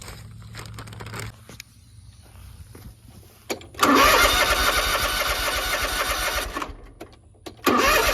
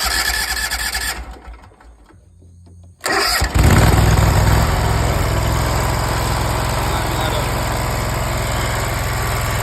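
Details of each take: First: Zero-turn mower, crank no start after carb rebuild, new air filter and carb: starter spins engine steadily for seconds, stops, cranks again without firing; spark plugs fouled with barely any gap. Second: Zero-turn mower after a carburetor rebuild and a new carb, new air filter, and new spark plugs replacing fouled ones with almost no gap. It cranks, catches in about three seconds and settles into a steady, even run with no misses; normal running.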